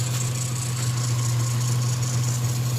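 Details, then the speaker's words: 1995 Nissan pickup 3.0L after PCV valve replacement and idle adjustment, warm idle rose on its own from about 500–600 rpm: low, steady, smooth even pulse, no hunting or misfire; truck had been cutting out when warm; idling healthy. "well we got it went up on its own actually so something is adjusting the idle all the equipment's probably working for the most part"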